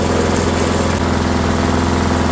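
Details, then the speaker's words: Discarded Rally lawnmower started, smoking off: steady, even single-cylinder putter with a firm low thump, no knocks and little vibration, though idle seems a little fast before adjustment. "It It actually doesn't vibrate much at all. Sounds like it's running a little fast."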